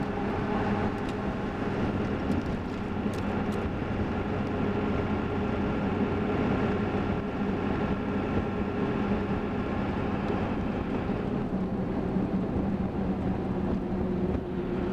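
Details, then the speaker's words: 1990s Ford F350 7.3 Powerstroke diesel on Mickey Thompson Deegan 38 315/75/16 mud tires at just under 60 mph with the window half down, in-cab. A steady low drone with wind rush is normal tire road hum. "window down here got the window half down doing just under 60 so that's what they sound like at that speed"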